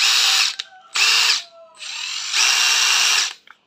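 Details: Used 18V brushless cordless impact driver (DT13-type) tested unloaded: high motor whir in short trigger bursts, rising and falling cleanly, no grinding or rattle, speed control and brake work; normal impact driver run.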